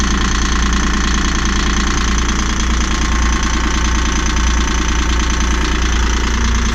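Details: Yanmar marine diesel on a catamaran, just cranked and started after injectors were cleaned and refitted, not yet tested cold: loud, uneven running with heavy low rumble and irregular knock about three beats a second; owner unconvinced it is fixed.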